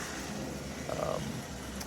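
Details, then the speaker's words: 1957 American Flyer GP7 model train locomotive running on the rails: a rough buzzing motor drone with a gritty rattle instead of a smooth hum. It runs poorly, and the owner suspects it needs a motor rebush. "this is the sound this engine makes for those of you that recall uh this reminds me very much of the rocket all that to say I'm afraid this guy is in need of of a rebush because uh it shouldn't be running with that kind of noise and it's not running very well"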